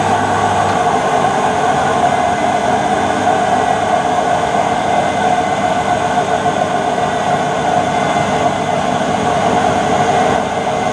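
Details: Whirlpool (Siltal) AWG324 D600 4kg 600-spin 33cm super-slim washing machine, mid-1990s: loud steady roaring drone with a whine on top through the spin, plus knocking; the drum bearings are gone.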